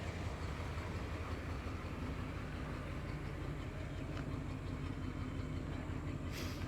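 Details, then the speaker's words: All-original 1972 Imperial LeBaron, about 13,000 miles, 440 V8 with TorqueFlite 727, warm after restart; low soft steady rumble, no ticking or misses, described as nice and quiet: normal idle. "Nice and quiet. Yeah, the 440 is great in these, as is the TorqueFlight 727 transmission."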